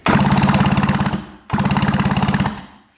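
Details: 1966 Yamaha YL1, never run in 15 years, on electric start: two bursts of even cranking at about three and a half turns a second with no firing. No spark at either plug even with the kill switch on: cranks but won't start.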